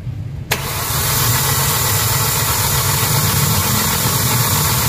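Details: Hyundai Accent gasoline with codes P0300/P0301/P0302, blinking check-engine light, low power and strong vibration; it cranks and settles into a shaky, uneven idle because cylinder 1 has no or weak spark, while fuel pressure is fine.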